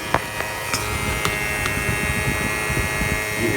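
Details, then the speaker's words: 2007 Prius electric AC compressor whining and humming at about 6,000 rpm, discharge line well over 200°F at 68-70°F ambient, refrigerant very low after owner's DIY can charge; software keeps it running to cool. "That thing is just whining away at like 6,000 RPMs. It's trying to cool because the way this was designed with the software, it's trying to satisfy the customer. It does not know that it's low on refrigerant."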